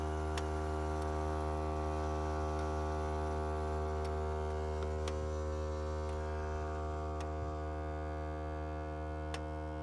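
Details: Volvo S60 model year 2012, engine off: a steady low electric buzz hum keeps droning with faint regular ticks; possibly a module or pump staying powered, cause unclear, owner unsure whether it is normal.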